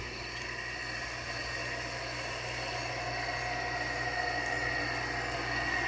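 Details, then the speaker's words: GE window air conditioner running with steady hum, airy rush and thin whine from shot fan motor bearings. "you can really hear the shot bearings on the GE though"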